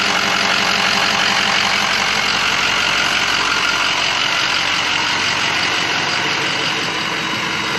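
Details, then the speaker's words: Hydrolocked 2007 Ford 6.0 Powerstroke diesel revived, after first test drive with air bled from fuel and oil systems, smoke gone: even, steady idle clatter about three knocks a second, no misses or stumbles; sounds normal and healthy. "I think we got all the air bled out of the fuel system and the oil system. Everything sounds perfect, normal, healthy."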